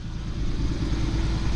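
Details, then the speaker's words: Jeep, after clearing codes: even, smooth low idle with a steady beat, no stumble or skip; idling cleanly without misfire. "Now that all the codes are deleted, this thing is running like a champ."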